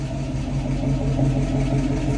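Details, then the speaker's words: 1966 Mustang after half-shaft bearing replacement, rear disc brake conversion and differential oil service, previously noisy rear left wheel: steady low hum in reverse, no whine, growl or clunk; rear end quiet, no more noise or vibration. "well this is a success the international works really nice and quiet no more noise no more vibration everything is super nice feeling really easy no noisy no squishing"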